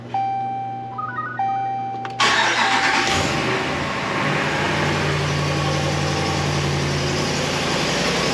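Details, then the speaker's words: 2017 Ram 1500 5.7 Hemi, 120,000 miles, after replacing broken exhaust manifold bolts and gasket: cranks and fires into even idle with only faint normal Hemi tick, no loud manifold-leak click; normal cold start. "Sounds like just the regular old Hemi tick now. Remember hearing that loud click? Not hearing it now."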